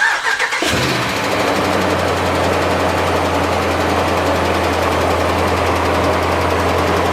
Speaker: as soon as you come back to idle you'll start to hear that ticking noise again and you know it'll be pretty obvious you'll be able to hear